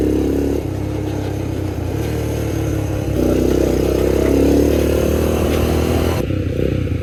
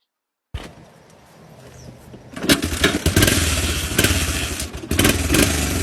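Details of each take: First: Old Honda single after new carburetor and valve adjustment: even, regular firing at idle and clean revs up and down, no misses, slightly smoky; normal running. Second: 1986 Honda FourTrax 250 ATV, valves needing adjustment and spark plug leaking, possibly cross-threaded: single cylinder fires up and runs rough and wicked loud with an uneven beat.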